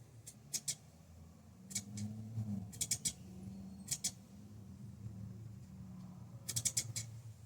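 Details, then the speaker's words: Bambu Lab A1 3D printer at print start: low motor hum broken by clusters of sharp high chirping squeaks from the hotend fan; abnormal fan noise, fixed by disassembly and maintenance. "Quando você inicia uma impressão, você escuta esse barulhinho aqui, ó."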